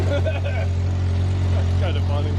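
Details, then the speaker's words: Upright AB62RT boom lift, abandoned and unmoved over a year, first start on old fuel: steady low even drone, smooth unbroken beat, no knock or miss; running normally. "let's go see if we got any leaks looking good almost well that sounds alright"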